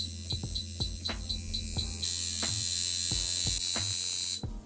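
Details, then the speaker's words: Wormhole Shader coil tattoo machine brought up from 5 V to exactly 7 V; sharp clicks as power rises, then a steady high buzz for about two seconds, sounding right and running properly, much louder than rotaries. "I'm running this on exactly a 7. That's exactly what the voltage. It sounded about right."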